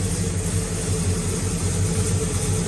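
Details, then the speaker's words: Pontiac GTO V8 after replacing pushrods and correcting swapped plug wires 4 and 7: deep even idle rumble with no ticking or clatter from the top end, much quieter valvetrain; normal idle. "time to fire it up after we uh swapped out the push rods see how much quieter it is way quieter"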